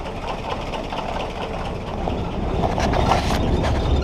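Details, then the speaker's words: Willys Jeep L-134 Go Devil four-cylinder, after 35+ years sitting, clutch in: first time running on its own without starter fluid, steady slightly uneven chuff, no knocks; starter still needs attention. "okay so i'm putting uh the clutch in and it seems to be running so this is the first time this thing's run on its own besides starter fluid so pretty excited about that"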